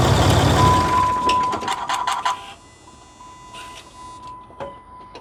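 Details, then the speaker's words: 2008 Ram Cummins diesel idling after replacing the fan and fan clutch: a thin steady high squeal runs under the fan roar; owner suspects the water pump, not confirmed. "I hear something now I'm getting a blowj job that Fan's kicking air something's definitely squealing water pump"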